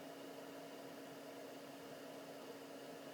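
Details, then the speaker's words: Autoterm (Planar) diesel air heater in a campervan, first test run at max output: steady, even blower whir with low hum, faint bassy thump from the fuel pump, no ticking; the fan is the loudest part; working normally. "very gentle thump thump thump which I think is the pump but it's not a ticking noise it's just a very bassy thump thump thump in the background and you have to squint your ears to hear it the noisiest thing by far is the fan"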